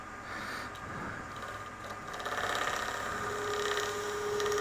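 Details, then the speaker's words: Easy Wood Tools mini with a larger CI3 negative rake cutter turning resin-cast tumbleweed gives rough, uneven buzzing chatter with faint ringing; the cutter may be dull or the larger surface area may cause it, unlike the smaller cutter. "I mean, it works okay, but you hear that vibration? And I wasn't getting that vibration with the small cutter."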